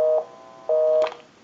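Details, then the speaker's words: Verizon single-slot payphone after repair and conversion, final checkout via amplified receiver pickup: steady tone pulsing on and off about twice a second; normal busy signal on an outgoing call. "we'll call my number and it'll be busy give you some dtone and we'll make that"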